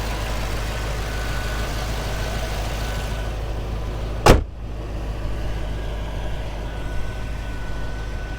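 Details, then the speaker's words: 2006 Pontiac GTO with stock, unmodified 6.0-liter Chevy V8 (LS2), stock air box, stock exhaust and manifolds; deep, steady V8 burble at idle with even rhythm, no knocks or misses, one door thump; healthy idle, runs and drives smooth. "runs and drives great it's incredibly smooth 6 liter has a really healthy idle sounds good feels good to drive"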